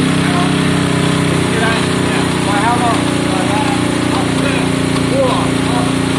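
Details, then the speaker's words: Honda CB200 at first start-up with choke on and oil put in the cylinders. Steady, even idle with a smooth low burble, no knocks or misses. Normal warm-up idle. "It's warming up now. Let's go quarter up there, John."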